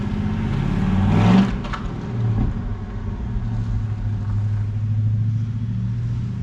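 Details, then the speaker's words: Rebuilt 400ci small-block Chevy V8 (new bearings, rings, machined crank) in a 5-speed S10, first run after rebuild with 65 psi oil pressure: deep, even rumble picking up smoothly with a throttle blip, no knocks or ticks; no weird noises. "sir well that was a big success the 400 runs there's no weird noises"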